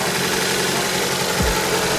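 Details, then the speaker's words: Freshly rebuilt Toyota 4A-GTE for an AE86 (new 8.9:1 OEM pistons, rings, bearings, oil pump) on first break-in run: loud, busy idle with fast light clicky chatter on top; valvetrain ticking attributed to the light oil. "sounds pretty clicky because of the light oil of course but don't go away"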